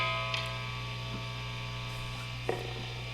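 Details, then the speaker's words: Gibson mini humbuckers in an Epiphone Les Paul Special, volume and tone up, Fender Hot Rod III Deluxe distorted channel, neck and bridge positions: a steady low mains hum with buzzy overtones, judged louder than with Kinman P90Hx pickups. "we're hearing lots of lots of noise and I think it's louder frankly with these baby humbuckers these Gibson humbuckers than the than the uh kimman uh P90 hxs are"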